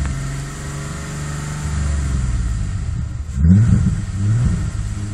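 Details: VW VR6 12V at idle, misfires on cylinders 2, 3, 6 (mostly 3) despite new coilpack, plugs, wires, coolant temp sensor, purge valve; uneven lumpy idle, stumbling low beat, shaky rev blip; engine shakes, check engine light blinks; rough idle misfire.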